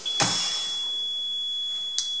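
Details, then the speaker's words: Buehler Simplimet 2000 mounting press at the end of its cooling cycle: a steady, high single beep tone as the green light goes off and the indications reset to zero, signaling the cycle is complete before pressure is released. "when this cycle is completed you'll see that the green light goes off you'll hear a tone from the machine telling you that the Cycle's complete and the indications will already set to zero"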